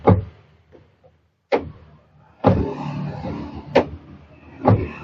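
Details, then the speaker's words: Car door after fitting a rubber damper to the door latch striker, recorded roadside with traffic hum; soft, dull thuds with no sharp metallic clack. The door closes much more quietly. "Jadi, ketika kita menutupnya, suaranya menjadi jauh lebih lembut."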